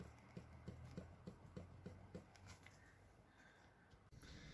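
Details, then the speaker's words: 2010 Citroen Berlingo front shock absorber, removed and stroked by hand: dull, regular knocks, about seven in two seconds. The top mount bearing is fine but the strut knocks internally; the new struts do not knock. "сама-то стойка так навитой рабочая но внутри штуку стучит"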